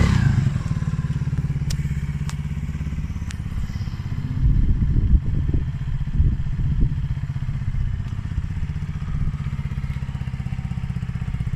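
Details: Polaris Outlaw 50cc quad after carb clean and blocked pilot jet cleared (previously overflow leak, no start). Even idle, picks up cleanly on throttle blips without stumbling: normal idle and revving.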